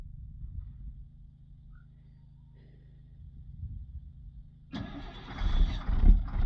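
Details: 2000 DT466E diesel that starts hard with no check engine light. Steady slow cranking at about two turns a second goes on for over four seconds without catching: hard start with extended cranking.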